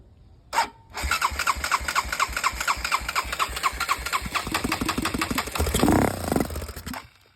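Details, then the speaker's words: Honda 400EX single, carburetor dirty from being left in rain, no gas tank fitted: after a short crank it catches on starting fluid sprayed in the carburetor, pops in quick uneven beats for a few seconds, then dies. "As you can tell, guys, it just fired up. As you can see in that last clip before it quit recording, it actually fired up, which is a very good sign."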